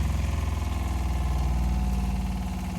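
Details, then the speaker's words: Geo Pro 20BHS RV water pump after replacing blown 10 amp fuse: steady low hum with fast even pulsing throb as pump builds pressure, no rattle or squeal; normal pump running. "Okay, so we will test it out now. There you go. Now you can hear it."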